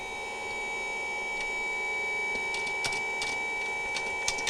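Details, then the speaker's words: 12 V battery-backup sump pump on a deep-cycle battery, float tripped manually before the 110 V is plugged in, pump not in water: thin, steady high whine with light clicks, running dry without a prime. Working. "Now, it's not going to pump water because it's actually not in the water, but I'll just check it here manually. I think you can probably hear that running."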